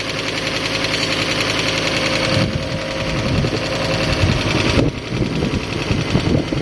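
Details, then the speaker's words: Fiat Stilo Abarth that sat unused for a very long time, idling cold with little coolant, then throttle blips. Quick light top-end ticking over the engine, blamed on long storage; idle speed drops as it warms. "It might sound harder on camera, but the ticking sound is, yeah, the car has stood still for a very, very long time."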